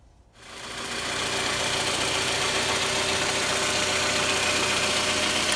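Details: 2009 Toyota Vellfire ANH25W, 2AZ-FE engine, 142,078 km; the noise remained after a timing chain replacement. Engine settles into a fast, fairly even light knock over the idle, and it disappeared with the balance shaft removed. Balance shaft knock.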